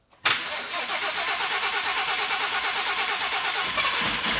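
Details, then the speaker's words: 2017 Ford F-150 3.5L EcoBoost after engine swap, first start after oil priming crank with fuse pulled and dry low/high pressure fuel system; catches after brief crank, even idle, no knock; high-pressure fuel pump slightly louder one side. "thank you sounds great that was really good"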